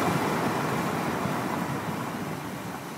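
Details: BMW E46 320iA M54B22, engine fully warm, ambient around 20°C, coarse fast rattle from front right under load (accelerating, uphill), also at standstill in D with gas and brake; owner ruled out wheel bearing, doubts oil pump and VANOS; cause unknown.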